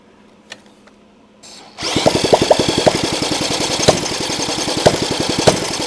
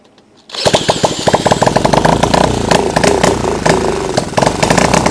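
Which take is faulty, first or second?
first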